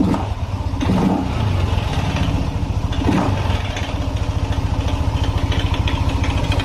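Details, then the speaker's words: Yamaha NMAX scooter that was hard to start and kept stalling, no injection fault code, fuel pump pressure 40 psi: uneven top-end rattle that comes and goes as rpm is raised, a cam chain tensioner rattle. "Neng ya suara mesinnya berisik kalau kita naikkan RPM Nih suaranya hilang-hilang apa tidak"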